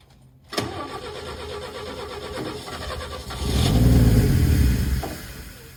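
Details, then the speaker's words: 1962 Chevy Biscayne, original 235 inline-six, makeshift welded exhaust: starts then rev swells into muffled choked roar; exhaust pipe plugged with debris like peanut shells. "Uh-oh. That ain't good. She's plugged up. This stuff just came out. There's some peanut shells and shit."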